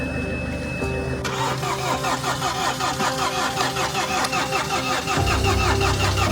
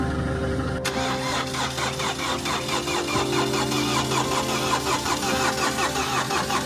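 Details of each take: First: Mini Countryman being restarted after timing chain work (broken timing chain guide had put the engine out of time): steady starter cranking that never catches, with no fuel in the system yet, so the injectors are to be cracked to bleed air. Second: Mini Countryman after timing chain replacement (engine had been out of time from broken chain guide), cranked with no fuel: steady cranking about 2.5 beats per second, no chain snap or valve-to-piston clatter; turns over cleanly, won't fire.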